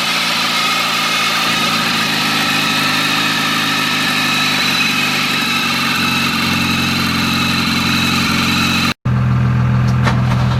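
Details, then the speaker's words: Volvo after new spark plugs fitted following a no-start: steady, even idle with no stumble or misfire; runs smoothly, the plugs had been preventing it from starting. "all right guys so as you can see the volvo started um it's crazy how the spark plugs prevented the car from starting"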